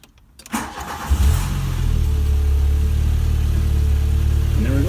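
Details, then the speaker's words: 1986 Volkswagen Cabriolet project car, brakes still pending: cranks briefly, catches within a second, settles to steady even low idle; normal start and idle. "let me just start this up so i can show you that i'm not lying and it actually does run"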